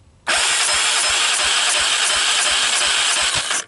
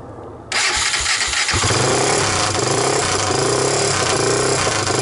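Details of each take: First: 1998 Honda TRX300EX single, choke on with jump pack, low compression (35 psi dry, under 60 wet): revving with fast chuffing about eight a second, puffing back through the carburetor; owner suspects an intake valve not seating. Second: 1998 Honda TRX300EX single, choke on with portable CDI box, just started after oiling the intake valve seats to overcome low compression: catches within a second and settles into a steady, even run with no knocks or misses; normal running.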